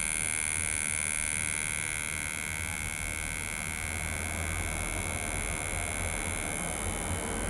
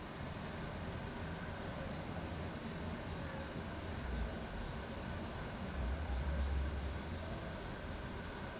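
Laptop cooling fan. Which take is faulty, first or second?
first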